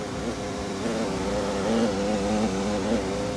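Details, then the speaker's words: Gas furnace that was tripping its breaker, after repair, restarted without the five-minute delay: steady low hum and even whirr, no knocks or scraping; blower starts right away and runs normally. "that on our way out of here running all right he's back up and running"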